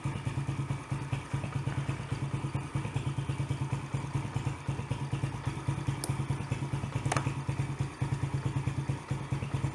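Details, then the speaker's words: Yamaha TT-R110 trail bike of unknown year, being revived, just started with choke on: slow, lumpy single-cylinder idle at about two beats a second, running rich at idle; air screw needs adjusting. "just a little rich on that bottom i think i need to pull this off so i can get in and adjust that screw a bit kind of go at an idle she's rich"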